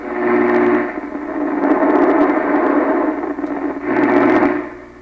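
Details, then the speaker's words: 1928 RCA Victor Model 28V radio after troubleshooting a cathode resistor/ground garble fault: station audio clear and steady, 'singing', faint low hum underneath, no crackle or garble; normal reception. "Well, it sounds way different, doesn't it? I think so, yeah. It's singing."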